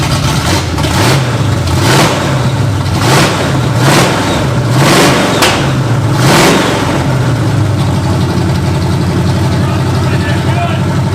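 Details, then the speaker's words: Barn-find 1968/69 Pontiac GTO Judge V8 showing 187,000 on the odometer, after new plugs and wires: revs rise and fall with a light, quick lifter tick on one side. The owner suspects a wiped cam lobe; otherwise it runs well. "Bit of lifter tick on this side. Weird. Pontiacs are pretty well known for wiping cam loes. So, we probably have a wiped cam lo."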